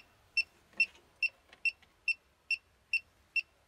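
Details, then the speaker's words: Elitetech WJL-6000 refrigerant leak detector at sensitivity about four, at the A/C port, residual refrigerant only: crisp, even high ticks about two per second; alarm on refrigerant. "it's pretty uh pretty sensitive i'll put it at the lowest sensitivity rating reading it right but i put it at about four"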